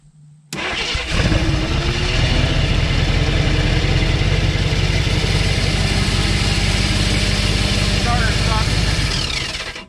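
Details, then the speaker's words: 1969 AMC Rebel V8, complete engine, believed unrun 15+ years, first start attempt fed gas: brief crank, catches and runs under rough uneven gnashing drone as starter Bendix drive stays stuck engaged. "Starter stuck. Oh, let me. Oh, the Bendix is stuck. Let me see that once. Bendix is stuck in now."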